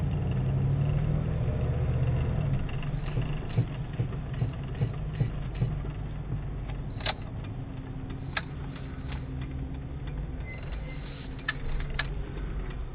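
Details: 1998 Jeep Grand Cherokee ZJ V8 idling with a low rumble, then sharp irregular clicks and knocks about twice a second as the brake pedal is lightly touched; strange braking noise, cause unclear.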